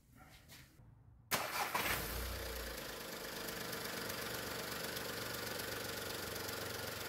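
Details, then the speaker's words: VW 1.2 three-cylinder engine on LPG after replacing the three Landi Renzo LPG injectors: quick start, even idle with light, quick steady ticking of the new injectors working normally after switching to LPG. "El automóvil cambió a GLP, de hecho, escuchamos el tictac de los inyectores en funcionamiento."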